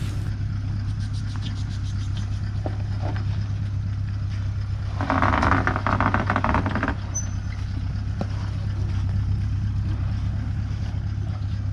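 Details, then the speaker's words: 4WD with big tyres crawling a tricky rocky track out of Kalgans Pool in the Pilbara; low engine drone with a rough two-second scraping rush as maxed-out suspension lets tyres rub the guards. "We definitely maxed out the suspension, and you can hear the big tyres rubbing in the guards."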